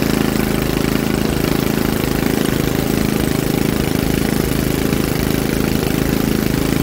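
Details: Troy-Bilt rear-tine rototiller engine after magneto cleaning restored missing spark and carburetor cleaning, choked during carb adjustment: small single-cylinder runs at a steady, even idle with regular beat, no misfire or stumble; sounds healthy.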